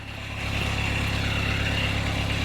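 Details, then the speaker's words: Fiat Doblo 1.9D converted to a mechanical SDI injection pump, free-revved after the cam timing fix; it picks up cleanly and holds an even rev with no knocks, but the computer cuts the system above 3,000 rpm: normal free revving. "decent, isnt it? a bit too much idle no revs, because of the computer, it kills the system above 3k"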